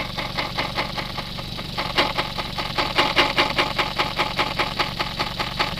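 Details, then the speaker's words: Suzuki SX4 with high-speed vibration, rear tire spun with engine running: steady swish-thump cadence tracking wheel speed; rear tire slightly out of round, less than the front two; rims possibly not true. "Wow, they're pretty consistent. You can hear a cadence. Yeah, it doesn't seem like this one has isn't as out around as the front two are."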